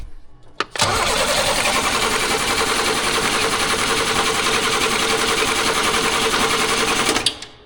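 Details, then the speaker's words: 1938 International pickup engine cranks about six seconds with a steady fast starter and even beats, but never fires: crank, no start. Spark and fuel are present; no compression is suspected, with something stuck, unconfirmed. "something stuck and we got no compression very [Laughter] weird"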